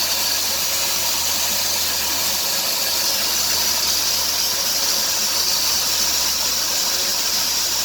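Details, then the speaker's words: 2003 Dodge Grand Caravan 3.3 with 372,528 miles: hissing and chirping that rise toward 2000 rpm on acceleration and stop when the belt is sprayed; idler pulley, tensioner pulley and power steering pump were already replaced; the owner suspects the drive belt. "2003 dodge grand caravan 3.3 makes a hissing and chirping noise on engine acceleration"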